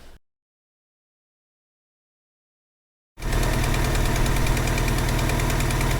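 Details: Vauxhall Cavalier, X20XEV engine, at idle: sharp regular tick about four per second, a tappity ticking suspected to come from the exhaust manifold gasket.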